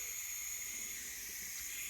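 Only a faint, steady high hiss of escaping gas with no pop or roar of a flame; the torch is not lighting.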